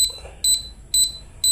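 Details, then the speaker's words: Samus 988M Plus ultrasonic PDC inverter with shorted inverter section, melted positive leg, display showing 918 FO: high beep about twice a second, evenly spaced, fan not turning; protection fault, won't start. "Kita nyalain mau enggak dia tuh gak bunyi ya, Mas Bro. bunyinya kayak protect gitu tuh. Kipas pun enggak nyala, kipasnya enggak muter maksudnya."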